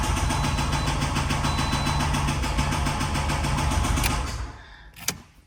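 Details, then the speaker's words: 2006–2012 Toyota RAV4 2.4L 2AZ-FE petrol engine idling with a loud, steady metallic bottom-end rod knock, three or four a second; symptoms include low oil pressure, engine later torn down. "you watch my channel, you guys already know that's an engine rod knock out of a 2006 to 2012 uh Toyota Rad 4 with a 2.4 L engine."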